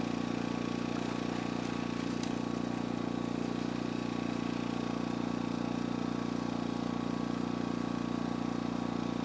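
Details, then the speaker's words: Energizer eZV2000P gas generator, from economy mode, with camper and lithium battery charger plugged in: steady even drone, RPM and noise rise under charging load, no knocks or misses; runs smoothly. "So you can hear the RPM go up and the noise level go up when I plugged in the battery bank."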